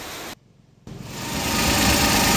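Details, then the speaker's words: Suzuki Every after new clutch release bearing fitted: engine runs with a steady even hum, no whine or grinding from the transmission; the earlier grinding noise when pressing the clutch is gone. "So guys, nawala na yung tunog. Kanina sobrang ingay dito pero ngayon wala na. Kanina pag inapakan ng clutch tumutunog pero ngayon wala na."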